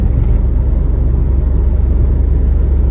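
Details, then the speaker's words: Mercedes Viano/Vito/Sprinter van cruising near 90–100 km/h, with a rear vibration between 90 and 110 km/h. After the rear axle oil change the droning hum with faint pulsing throb is less pronounced; the rear drivetrain source is undetermined. "alors honnêtement après avoir fait la vidange du pont le bourdonnement il est moins prononcé vraiment moi prononcé que avant"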